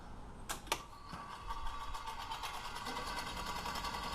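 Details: Akai GX-365D reel-to-reel tape recorder after cleaning a dirty switch that was starving the solenoid of voltage: two sharp clicks, then a fast, light rattling buzz of relay chatter as the relay flashes.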